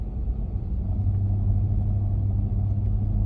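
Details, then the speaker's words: Toyota Land Cruiser pulling away under light throttle at 20–40 km/h: deep puffing rumble like an exhaust leak from the engine–transmission area, fading off throttle, caused by a flywheel cracking at three of its six mounting bolts; fixed by replacing the flywheel. "来了松了油门基本上就听不到了然后车速超过40之后呢这个声音应该还是有但是呢被噪音啊覆盖住了所以听不到了20-40之间是最明显"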